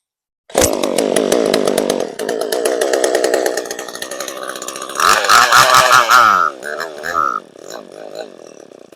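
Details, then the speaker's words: Echo CS-3450 chainsaw after fitting an aftermarket replacement carburetor and new primer bulb: it fires and revs, but the top end wavers and stumbles instead of holding a clean scream; the high-speed mixture may need adjusting. "Well, might have to work on the high side a little bit."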